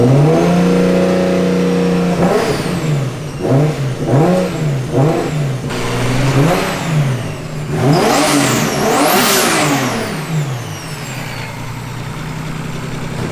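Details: Turbocharged car: sharp revs climb quickly, then linger and fall slowly after lift-off instead of dropping cleanly; owner suspects premature wastegate opening.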